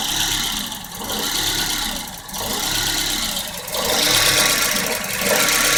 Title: 1994 Volvo 940 hard start/rough idle